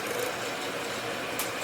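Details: 2008 GSXR 750 K8 with stock ECU, exhaust valve delete and Arrow slip-on, after blocking off the idle speed valve: an even, steady idle without the earlier hunting or surging, slightly low but smooth; idle problem fixed.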